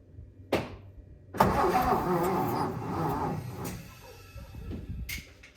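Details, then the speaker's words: 1957 Lincoln Premiere: starter churns the engine in uneven bursts, about three to four turns a second, never running. Crank, no start; owner suspects weak battery, weak starter, a stuck, probably bent valve and a severely sticky distributor. "oh well I think I'm going to have to admit defeat on this one this time at least I think there's a couple of things working against me you know weak battery weak starter stuck valve which I'm pretty sure is bent"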